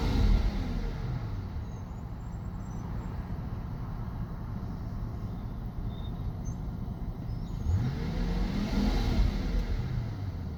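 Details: Mercedes S600 V12 M275 idling, live data showing cylinder 9 misfire counts: deep steady idle with faint, slightly uneven lope about four times a second; misfire, cause unknown.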